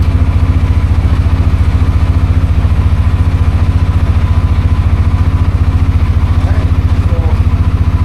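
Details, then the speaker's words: CForce 600 ATV after a no-start traced to a weak battery, now on a battery tender: deep even thumping idle, no misses, knocks or rattles, no warning lights, starts normally; normal idle. "All right. So, we got it running good. Uh, everything seems to be good. Uh, no lights come on. Everything starts like it should."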